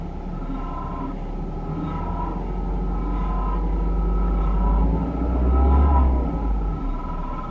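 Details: Peugeot 3008 1.6 PureTech 180hp: deep rumbling idle with a moaning, wavering noise whose interval is wide at startup, then spontaneously shortens around 19 seconds; a small rev increase at 33 seconds adds harshness; cause unclear.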